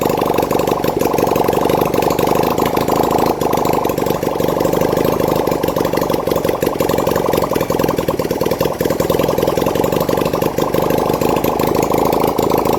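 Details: 1971 Honda CD175 K3 twin under restoration, running on a little fuel put in the carburetor, oil reaching the head: steady, even idle picking up cleanly when blipped, no knocks or misses; normal idle and revving.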